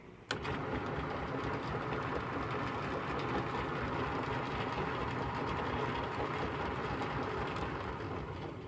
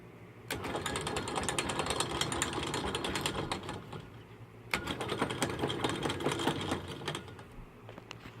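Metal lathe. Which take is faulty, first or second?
second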